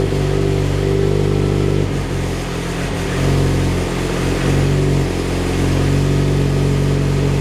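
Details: Mitsubishi Evo X 600bhp build, cold start after engine rebuild and turbo fit: uneven, loping idle wandering in speed, lumpy due to high-lift cams and dual valve springs, which the owner says is normal.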